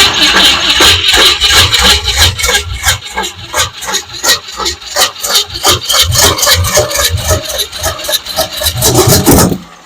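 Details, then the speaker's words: 1967 Mustang 289 V8 parked 22 years, cranking with choke closed: rough uneven cranking, popping bursts about three a second, then a sharp backfire through the carburetor; timing suspected slightly off, distributor then backed off. "woohoo ah did you see that it's good thing my face wasn't right over the top I think our timing is off just a hair"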